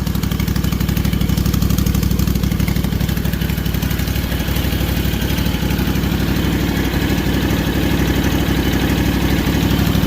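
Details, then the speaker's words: Rebuilt Kawasaki FR730V V-twin in a Cub Cadet SX60, first start after install, choke on, some oil smoke: steady, even low thump at idle with no misses, knocks or ticks, smooth twin beat; no fuel or oil leaks, healthy idle. "No fuel leaks, no oil leaks. Sounds good, don't it?"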